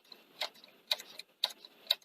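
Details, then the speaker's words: Sony SL-C30E European Betamax VCR (240 V, tatty, dusty, tape just jammed around capstan): loading solenoid clicks about every half second with a soft, limp clunk instead of a crisp snap, pulling weakly during cue; weak solenoid actuation. "tight it's not clunking but like doing a nice clean click clunk when it's activating yes limp isn't it"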